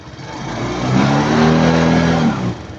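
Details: Suzuki Jelato scooter after replacing faulty regulator rectifier with genuine part: revs up smoothly and settles back, no misfire or knock; charging now stays about 13–14 V instead of earlier 16–18 V overcharge.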